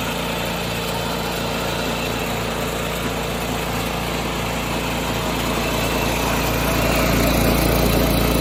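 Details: 1986 John Deere 216 lawn tractor, small single-cylinder engine: steady, even putter with a regular firing beat and no misses, driven up and down the driveway after carb cleaning and PTO adjustment; healthy running.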